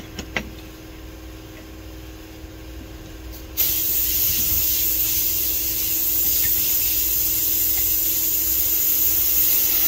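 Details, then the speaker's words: Craftsman T2400 lawn tractor rear tire mounted on wide rim with sealer, inflating to about 10 psi: sharp hiss starting suddenly and holding steady; air escaping where the bead hasn't seated on the rim. "the tires hold 10 pounds is all I just got to get that bead to pop"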